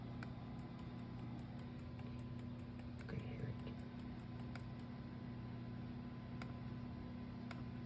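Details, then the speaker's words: Eagle Talon with SRT4 engine swap on MegaSquirt ECU, quad spark skipped: faint crisp, fairly even ticks over a low hum as each coil pack sparks; ignition coils firing normally, though coil B later sounds hollow to the owner. "I skipped the quad spark and now the coil packs fire it's irritating because I've been stuck on that for a long time"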